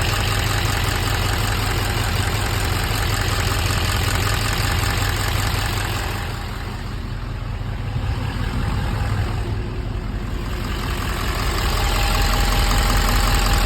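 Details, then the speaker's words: 2015 Duramax diesel, first start after engine replacement at an RV park (refurbished engine after broken crankshaft), coolant system filled with water: even diesel clatter at steady idle, no misses or heavy knocks; runs quiet. "But it runs amazing. It's quiet. Everything's good."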